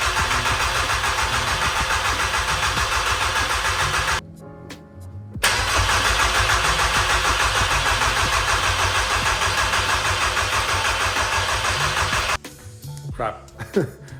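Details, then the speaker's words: VW Passat B4 just swapped to a 2.0 AGG engine, no coolant or power steering fluid, half the exhaust missing, immobilizer box loose on dash: fast steady starter churn, pause, crank again, never catches; crank no start, cause unknown. "it doesn't start and I don't know why I'm sure that we will find that issue but unfortunately I don't have time for that today"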